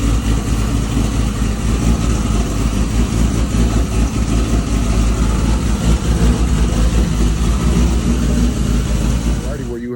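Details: 2JZ after two bent valves from timing belt tensioner failure, head reinstalled: started right up, steady even idle with smooth low rumble, no knocks, ticks or misses; healthy.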